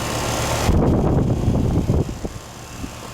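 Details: Relatively new 1.5-ton outdoor AC unit with iced-over complaint, gauges on, subcooling 16 vs 14 target: steady low drone, even without rattles or squeals, then winds down; normal running.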